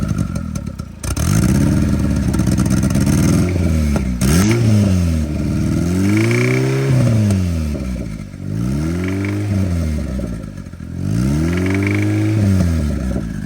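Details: Junkyard Honda K24A4 engine in a Chevy swap, which had been overheating and blowing coolant from the overflow, revving up and down with a rough clattering rap on each rev; the owner suspects a rod knock or bent rod from brief oil-pressure loss.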